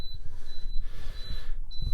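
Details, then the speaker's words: Viqua IHS-12 D4 UV water purification unit with sediment and charcoal pre-filters, newly installed and plugged in while the system fills with water: short high-pitched beeps every half second; manual indicates apparently a low-voltage warning. "okay so that beeping was a low voltage or something it said so i had it plugged"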